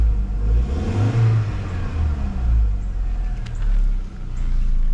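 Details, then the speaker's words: 2004 VW Golf 2.0 after installing a new A/C (fan) belt, replacing a cracked one that squealed with the A/C on. Compressor running while the engine is blipped. Smooth, even note with no belt squeal or chirp as revs climb: normal belt operation. "you don't hear anything coming from the belt the buing came off I would say I successfully put the belt on"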